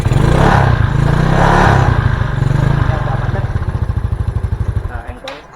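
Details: Yamaha Mio Soul after cylinder head rebuild and spark plug hole repair for lost compression: small single fires, revs twice, settles into even putter, then shuts off; runs clean, compression restored.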